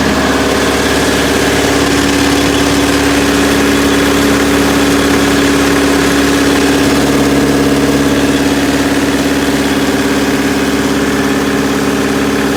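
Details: Perkins four-cylinder diesel in 1980–81 Bobcat 843, injectors reset to crack at 2200, electric fuel pump: lumpy idle beat near three per second with slight shake; all cylinders firing and balanced per exhaust temps and line-cracking, still runs rough.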